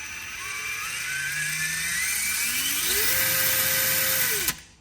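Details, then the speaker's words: Axial 3-gear RC transmission after installing a Vanquish slipper eliminator, run on battery: smooth metal-gear whine climbing with motor speed, holding steady, then cutting off; the previous bad ticking is gone. Normal gear whine, no ticking. "but it don't have that bad ticking sound anymore"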